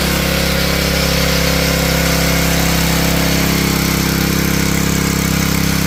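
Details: Honda GX160 junkyard engine after a carburetor rebuild, started on choke: a loud, steady beat at a fast, even pace with no misses or knocks; running smoothly while smoking heavily.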